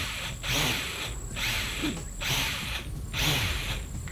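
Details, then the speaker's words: DRL Nikko Air FPV race drone, motors spun up after arming, revving in bursts about once a second with a dry gravelly rasp over the whine, like gravel inside, suggesting rough motors. "sounds like there's a bunch of gravel in there or something"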